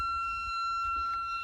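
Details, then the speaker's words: Kenwood TS-430S ham radio on power-up, fed 13.8 V from a 10 A supply through a cheap connector and not grounded: a steady, piercing siren-like squeal with shrill overtones. Cause unknown. "Why is my Kenwood TS-430S making this sound when I power it up and turn it on?"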